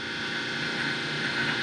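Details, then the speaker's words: Replacement Jabsco feed pump on a Spectra Newport 400C watermaker, catamaran, after troubleshooting: steady, even electric pump hum with constant pitch and no rattles or surging, pushing out all air bubbles; pump running healthily. "let's start see open all of ours are open so little pump is running"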